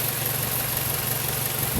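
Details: 2008 Mazda 5 that previously would not start, after repair: steady, even idle with a constant low hum and no knocks or misses, running normally.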